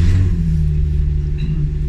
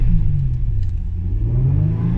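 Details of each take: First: Japanese RWD six-cylinder coupe project car, just after start-up: deep, loud booming rumble settling to a throaty idle. Owner thinks the resonators were removed. A bit loud but acceptable, louder than his sedan. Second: Japanese RWD six-cylinder coupe project car at 264,000 km, revved with the door closed: deep note rises and falls smoothly with no knocks or rattles. Engine runs pretty smooth.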